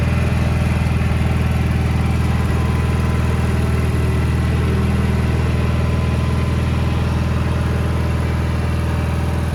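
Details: 1987 Gravely Professional 18G riding mower, Kohler Magnum 18 engine, after replacing the gas-cap fuel gauge: steady, even idle with no more whistling, no hiss underneath; normal idle.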